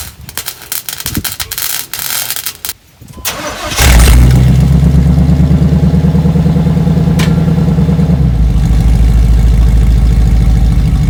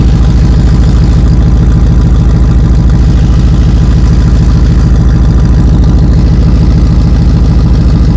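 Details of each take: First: 1991 Chevy Suburban large petrol engine cranks, catches, settles into steady deep idle with no exhaust rattle after welding two touching exhaust pipes that had rattled and shaken the whole SUV. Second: 1991 Chevy Suburban at idle: deep rumble with a fast, steady metallic rattle from two exhaust pipes touching; fixed by welding them.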